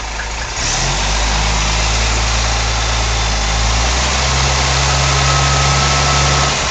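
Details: 1964 Rambler engine at idle: a loud, steady idle rumble with a faint, fairly regular tick riding over it; the odd noise's cause is unclear.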